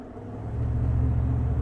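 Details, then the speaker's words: Cold start of the day on a 2018 Toyota Tundra, at the RPM and temperature where a high-pitched intake whistle used to appear: deep, steady fast-idle rumble with no whistle after the throttle body gasket mesh ring was removed; intake sounds normal. "Normally, right there at that RPM and this heat of the vehicle, I mean this temperature, just starting it up for the day, you would hear a high pitch. There was nothing, and it was so nice."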